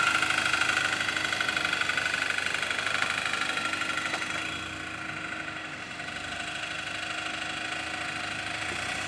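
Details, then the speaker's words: Audi A3 with replacement junkyard engine, first start: light tinny rattle about three per second over steady idle with faint ringing; plate bent when flywheel was removed is suspected to touch the flywheel. "so the noise is this plate we're hearing that's what's making this rattling noise when we pulled the flywheel off we bent it a little up here"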